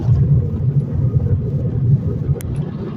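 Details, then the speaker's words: 2010 Chevy Impala while driving and slowing down: loud, low droning hum in cabin from a bad front wheel hub bearing; tires and rotors already checked; hub bearing replaced. "bad it's making like a real loud humming sound and I've checked my tires and I've checked um my rotor everything else"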